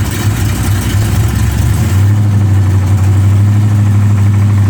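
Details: 454 big-block V8 idling with a loud, uneven low knock, loud when driven; owner unsure whether rod knock or broken flex plate.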